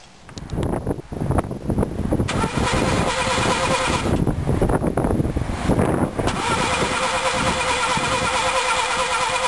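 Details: 1995 Nissan Micra 1.0 55 HP won't start; starter whirs and engine turns over repeatedly with brief stumbles but never catches, cranks without starting.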